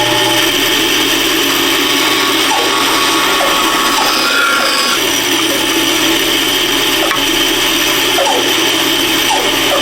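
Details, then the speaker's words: Band saw cutting the bottom piece of a wooden candle holder: steady high-pitched whirring rasp with a thin constant ring on top, the guide bearings touching the blade, which is what they normally do. "That's that noise you hear is them bearing touching. That's what they do."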